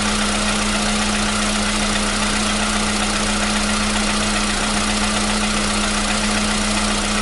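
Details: 2015 VW Polo Sedan at 76,000 km, new battery, cold start. For years it knocked only when cold, and worse on Rosneft oil. Steady, even cold idle with a constant low hum and no knocking or ticking; the knock has suddenly disappeared. Normal cold idle.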